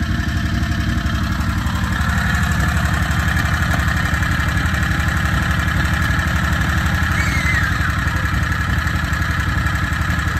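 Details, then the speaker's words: Harbor Freight Predator 670 22 HP V-twin in an EzGO Workhorse golf cart, after turning the carburetor idle down a little more (from about 1800 rpm warm): steady, even low putter at 1100–1300 rpm per tachometer, no misses; idle set right for smooth F-N-R shifting. "oh yeah so that's the sweet spot 12 to 1300 actually it's more like 11 to 1300 i don't want to go anymore i'm afraid it's gonna stall"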